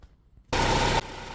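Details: Vauxhall petrol engine after P0171 rough-idle/excess-suction fix (purge valve changed, no fault codes): catches with loud half-second burst, settles into steady even idle, temperature 52 degrees; normal start.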